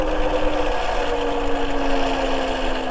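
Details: MEGAWHEELS D2 electric dirt bike in mode 2, maxing out near 29 mph with the rider near its 265 lb limit. A steady droning whine over road rumble rises at the end: a rubbing noise, possibly the front brake dragging; the rider suspects user error.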